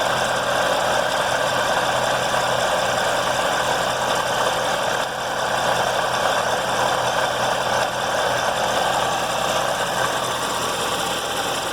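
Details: Chevrolet C7 Corvette Z06 engine at idle with an unusual light, fast tapping/knocking, about three or four a second, like a loose marble rattling inside the motor; engine ticking at idle.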